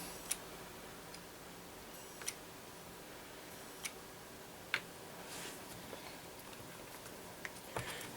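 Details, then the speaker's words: Laptop last used around 2015, stored about 10 years in hibernation, possibly Intel Core 2 Duo; faint sharp clicks roughly every second in a quiet room, no spin-up hum; hard drive thought not to be spinning up, failing hard drive suspected. "we might have a dead hard driving this one so that noise might in fact be the hard drive"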